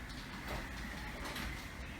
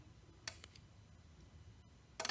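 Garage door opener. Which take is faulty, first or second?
second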